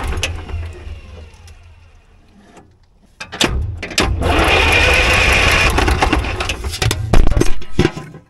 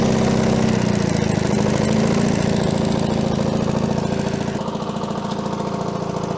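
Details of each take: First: Allis-Chalmers track loader diesel, revived after sitting many years, cranked by the starter with an injector line fitting loosened to bleed air because the bleeder screw is inaccessible; steady churning, no start until fuel appears. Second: Allis-Chalmers HD6 track loader diesel, revived after sitting about 50 years, idling evenly at a quick regular beat with no misses; the muffler is worn, the fuel leak is fixed, coolant is low and the gauge reads zero oil pressure. Normal idle.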